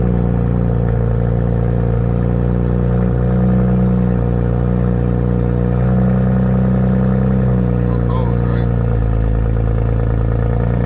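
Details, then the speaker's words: BMW 335i N54 single-turbo: engine turns over in a long uneven churn, about four beats a second, before firing; extended crank, owner suspects the crankshaft position sensor, unconfirmed. "it took a little minute for it to register and that's why I think it's sensor related"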